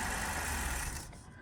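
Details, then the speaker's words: 2015 Ford Taurus 3.5-liter V6 at minus four degrees: starts, runs five to ten seconds, then sags and stalls, commonly caused by the fuel pump control module behind the passenger rear seat, which is being replaced. "so this is what the issue i'm having with it this time is she'll start up and then about five to ten seconds later"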